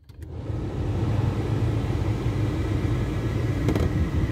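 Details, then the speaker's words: 1988 Oldsmobile 98 Regency Brougham, about 83,620 miles, engine running: quick double click each time the AC is switched on and no cooling; suspected to need recharging, not confirmed. "my grandpa told me that the air conditioning need to be charged because um because it stopped because it's not cooling because it keeps doing that clicking noise every time i turn it on"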